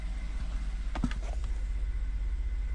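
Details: 2014 Ford F150 3.5 V6 EcoBoost, ~91k miles, after new Motorcraft plugs and Duralast coil packs fixing P0303 cylinder 3 misfire: low even idle rumble, no stumble or misfire beat; normal idle.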